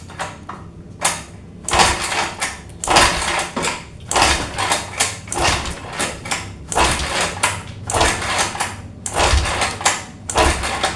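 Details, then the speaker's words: Honda Vario 125 that stalled after steam washing: repeated kick-start strokes about once a second, engine turns but won't fire; spark plug later found wet with water. "Nah teman-teman, setelah kita engkol dan kita coba masukkan kop businya, ini masih tetap tidak menyala."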